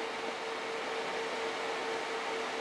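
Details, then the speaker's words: Home-built TIG welding water cooler with the pump's fuse pulled, coolant flowing only from the accumulator: steady mid-high tone over a hissing background. The low-flow alarm is sounding. "oh one other thing I'm gonna pull the circuit breaker or the fuse out for the pump it's running off the water in the accumulator right now or the coolant"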